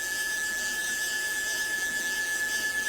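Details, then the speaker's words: CNC stepper motor on the X axis jogged in continuous mode by wireless MPG handwheel after upgrade to a TB6600 parallel-port Mach3 controller board: steady high-pitched whine over light hiss, no knocks or skips; running normally. "so if i spin the little um wheel then the machine will move hopefully there you go so it's in a continuous mode"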